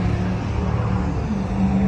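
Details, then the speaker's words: Toyota with freshly swapped 22R engine, first start after swap, oil leak from front case; uneven, lumpy idle that sags and wavers near stalling. Struggles to stay running, attributed to vacuum leaks; distributor not yet locked down. "That's just because we have vacuum leak. Vacuum leak. We had another vacuum leak here."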